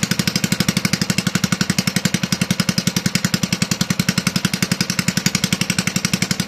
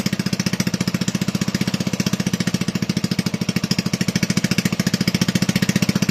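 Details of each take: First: Toro 18005 mower engine after carburetor cleaning, oil added and throttle-plate tab tweaked, no governor connected, just a spring pulling throttle shut; steady loud chugging about four beats a second, running ungoverned. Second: Toro 18005 mower, Tecumseh engine, governor not connected, spring holding throttle shut, throttle tab tweaked: fast even popping about a dozen pulses a second, steady with no stumbles; runs better than expected, not smoking.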